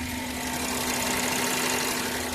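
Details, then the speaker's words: Maruti Eeco just started after fix of overvoltage ECM signal wire blowing ignition coils (ECM change); coil no longer heats, no DTC, CNG disconnected: steady even idle, smooth firing, no misses, jerks or knocks; normal idle. "गाडीचं firing पण एकदम smooth झालेली आहे. गाडी jerking वगैरे काय नाही, एकदम प्रॉपर गाडी चालू झालेली आहे एक पहिल्या सेलमध्ये."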